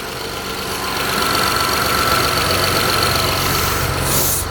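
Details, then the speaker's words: Mitsubishi Eclipse cold idle just after timing belt job, new injectors (vacuum leak was injector #5 seal), coil packs, plugs, throttle body, lash adjusters, intake valve lash set to .008; even, steady idle, smoother than before, no vacuum hiss; warm-up pending. "it sounds much smoother so far than before but it's gotta warm up"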